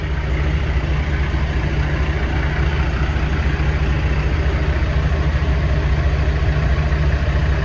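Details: Diesel truck at a steady, even low idle with a smooth beat and no misses or knocks, after replacing the fuel filter and fuel pressure sensor and priming. It had stalled after running nearly out of fuel, possibly from air drawn into the system. Normal idle.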